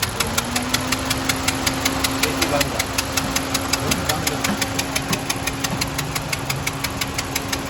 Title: Honda civic Ns engine sound problem